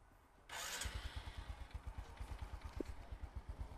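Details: Honda Future Neo after workshop repair including clutch reassembly; catches after a short crank and settles into an even idle of about seven soft thumps a second: healthy idle.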